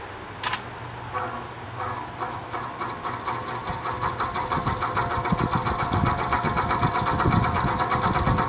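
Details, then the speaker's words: Vintage Penncrest (rebranded Lakewood) 20-inch 3-speed box fan starting up, oiled repeatedly, no motor shaft play, blades tight: fast uneven rattling tick quickening as it spins up; owner suspects worn bearings, unconfirmed. "when it runs it's rattling it's noisy i've oiled it several times before the noise doesn't go away"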